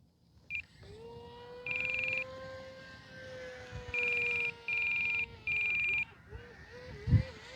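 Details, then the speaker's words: E-flite Carbon Z T-28 2.0m RC plane in flight on low battery. The steady motor whine dips in rhythmic surges with chirpy beeps as the ESC pulses power as a low-voltage warning without cutting it. "there's our low voltage warning so we have definitely got pulsing now you guys listen carefully you might hear"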